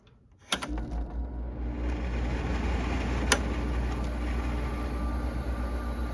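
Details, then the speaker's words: Carrier UC series 5,000 BTU slide-out chassis air conditioner with a Tecumseh rotary compressor and manual controls, filter dirty. A sharp click, then the compressor settles into an even low hum under a smooth fan rush: a clean, normal start-up. "We'll just turn it on. Should start up. Maybe not. There we go."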